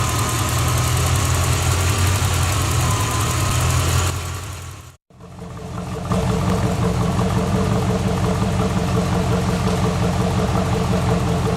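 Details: 1986 Corvette L98 5.7L TPI V8 after cleaning a clogged EGR port in the plenum: even, low V8 burble at constant speed with no stumble, miss or hunting; engine idling properly.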